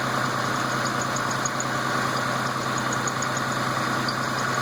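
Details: Newly built engine with all-new parts at steady idle: fast, thin high-pitched chirp repeating in short bursts from the inner belt; owner unsure whether a bad tensioner bearing or bad belt.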